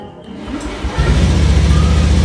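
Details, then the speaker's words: Honda automatic scooter (Vario), engine running: catches and revs but uneven and labouring, stuttering (brebet); tops out around 40–60 km/h struggling; pump hum checked. "Jadi dia agak berbet teman-teman. Otomatis ini teman-teman kalau kita lari paling mentok itu di antara 40 sampai 60, itu pun udah capek sekali kalau udah sampai 60 ya teman-teman."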